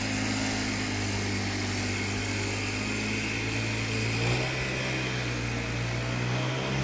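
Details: Cheap Troy-Bilt two-stroke backpack blower, old carburetor, Seafoam-treated fuel, started first pull: constant steady even drone, no surging or sputtering; normal running.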